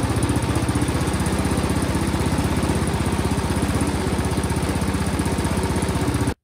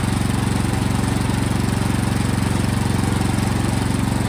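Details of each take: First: Toro Power Max snowblower that ran a few seconds then died: on starting fluid it fires with a rapid steady chug about four beats a second, then quits; gas leaking from carburetor bowl-to-body seal, fuel not delivered. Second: Toro Powermax snowblower after the carburetor was tightened on, so fuel no longer leaks from the seal: the small single-cylinder engine starts and runs steady and even with a firm regular beat and no misses.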